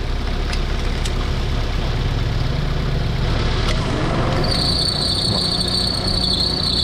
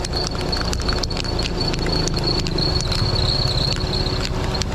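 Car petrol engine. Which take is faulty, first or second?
second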